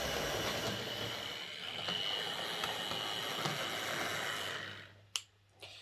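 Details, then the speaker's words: Old Hornby R857 BR Ivatt Class model locomotive after motor bearing replaced, lubricated and re-magnetized: smooth, light, even whir with no grinding or rattle, then stops; runs fine now, previously poor especially backwards. "okay so i think that's this old horn bi that class locomotive uh running okay now"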